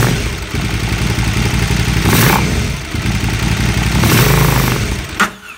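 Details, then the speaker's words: 2008 KTM 990 Adventure S V-twin, 6,500 miles, after a 15-minute ECU idle reset adaptation: revs up twice, then dies when the throttle is fully closed. Idle is otherwise fine; many fuel and sensor fixes haven't cured it. "As soon as I let the throttle all the way off, it died."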